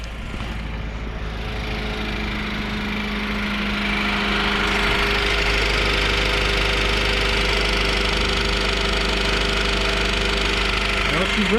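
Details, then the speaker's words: 2000 Honda CR-V with 166,000 miles, first start after a timing belt replacement: a light, regular tick of about three per second over a steady idle. The cause is loose bottom timing cover bolts being caught by the crank pulley. "guys so it sounds pretty good it just has a little bit of a tick so it almost sounds like it's coming from the timing belt i might take that cover back off and see what's going on in there"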